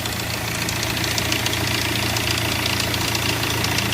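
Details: Hyundai Verna idling: fast light metallic rattle over steady hum from a loose timing chain, before chain replacement.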